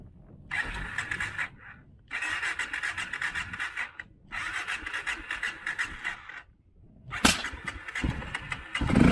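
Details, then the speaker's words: Honda XR650L with Dave's mod, stock pipe, 52 pilot and 155 main jets set for 2,000 ft, at 6,400 ft: repeated starter bursts with pauses, then one sharp bang before catching; mixture too rich at altitude makes starting hard. "So in this video I went up to 2,000 meters, that's 6,400 feet, to was too rich, and with one big bang it would start."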